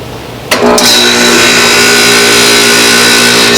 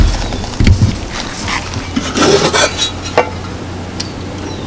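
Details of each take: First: Home AC outdoor unit kicks on with steady electric hum and buzz but no fan whoosh; condenser fan won't start by itself yet spins when pushed, owner suspects the capacitor. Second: Old home A/C condenser switched back on: a few clicks, then the unit kicks on with a steady, even hum and fan rush; normal running.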